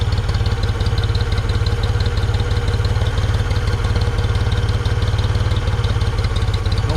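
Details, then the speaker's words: 1974 Ford 3550 industrial tractor, revived after 18 years sitting: steady low thumping idle at about 214 beats a minute, no knock or miss, no smoke; intake in poor shape, not yet hot. Normal idle. "i was a little nervous because it's pretty damn green but uh running beautiful running absolutely beautiful [Music] no smoking"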